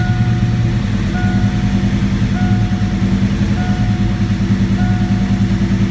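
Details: 1987 V8 after Promaxx cylinder heads install, battery was disconnected so computer relearning: deep steady burble with gentle rhythmic rise and fall as idle settles; running smooth, normal idle.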